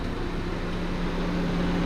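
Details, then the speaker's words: 1997 Saturn SL2 after radiator replacement (belt tensioner failure had thrown the belt and overheated the engine): warm idle with the cooling fan kicking on at 5/8 on the gauge, smooth even hum with a steady fan whir, no leaks, cooling system working. "It just kicked on the cooling fan at 5/8 on the gauge."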